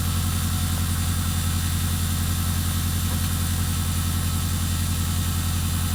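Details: Detroit Diesel 8V92TA in a Wanderlodge RV idling at about 608–610 rpm, 13% load, burning 1.7 gal/h: low, heavy idle with a steady thumping beat about three to four per second; rough idle from worn, scored and cracked liners.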